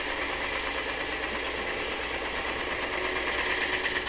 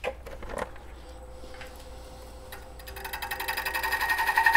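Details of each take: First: Twice-turned dried wood bowl on the lathe, truing the tenon shoulder for a four-jaw chuck: steady, even hiss of the gouge with no chatter or catches, showing the shoulder is now flat. Smooth continuous cut. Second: Twice-turned bowl from dried, roughed green wood: cutting noise clicks about four times a second while shaping the exterior, because the gouge bites only the high spot of the out-of-round bowl, which is then smoothed round.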